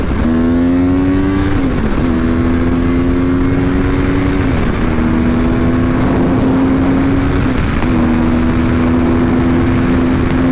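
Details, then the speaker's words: Rebuilt wrecked 2014 Yamaha R1 on first test ride, heard through helmet microphone: clean, strong rising engine note through several quick gear changes, each pull smooth and even with no knocks or misses. "oh that sound never gets old honestly feels so good I don't know if you guys can hear the sound of the motor through the microphone that I have in my helmet but this thing in person is absolutely insane"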